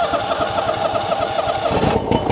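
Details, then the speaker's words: John Deere GX255 lawn tractor, 22 hp Kawasaki engine, previously sputtering at idle, after an Amsoil oil and filter change and new NGK spark plugs: settles into an even, steady beat, running smoother. "Already sounds like it's running more smooth. Let's let that oil drain through."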